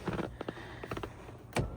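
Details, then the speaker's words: 1999 Lexus ES300, about 147,000 miles: power seat tested with brief smooth electric motor whir between clicks and thumps, no grinding or binding, lumbar also works; normal power seat operation. "Yeah, even the lumbar works. All right. Not bad at all."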